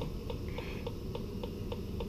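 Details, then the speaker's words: Electronic gas leak detector on 1956 natural gas boiler, in operation past the gas valves: quick even ticks about three or four a second over steady hiss, beeps elevated near fittings, indicating possible leak; next checked with micro-bubble solution. "OK so you can hear the beeps and you can see they have elevated in that area. So we are going to go to the next step and check that out."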